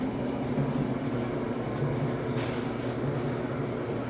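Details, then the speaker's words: Samsung dryer after replacing flat-spotted drum support rollers with new rollers and shafts (DC97-16782A): steady even rumble and hum from the turning drum, no knocking or loud thumping; new rollers slightly louder until coating wears in. Normal running. "then the dryer will begin to settle in and become and become quieter in this operation but the primary problemless allowed thumping sound which has been addressed"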